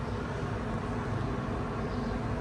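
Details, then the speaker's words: Hotel room air conditioner in Sharm El Sheikh, switched back on after being fully off, running with a steady, even airy hum over a low rumble, no knocks or squeals; normal air conditioner running. "D’ailleurs, il y a aussi un système de climatisation, mais comme il ne fait pas si chaud maintenant, nous l’avons complètement éteint. Maintenant, je l'ai allumé."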